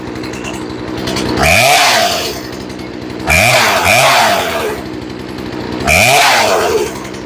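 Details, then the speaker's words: Chainsaw after carburetor replacement and tuning, cold start after sitting a few hours, reprimed and choke off after first sputter: three crisp rev-ups settling back to a steady idle with no sputter; normal cold running. "Okay, and she sounds really good cold."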